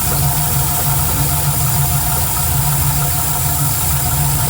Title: Knocking Noise?